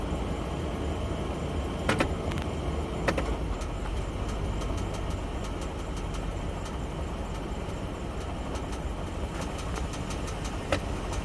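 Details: 2004 Toyota Sequoia after an oil change: low, even engine hum with a few sharp, irregular clicks over it; something ticking, source not pinned down.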